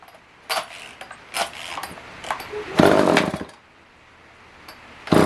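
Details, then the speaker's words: Older Poulan Wood Shark chainsaw (similar to Micro/XXV) runs only on choke: short sputtering bursts catch and die, dying when choke is turned off; carb jets were set far out, it pulls little tank fuel, owner suspects it needs a carb kit. "I'm going to think this thing is going to need a carb kit just by the way it's acting it's not really wanting to pull a lot of fuel it will pull tank fuel it just not a great amount enough to [Applause] run turn the choke off it'll"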